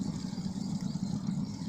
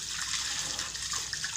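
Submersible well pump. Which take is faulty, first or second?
first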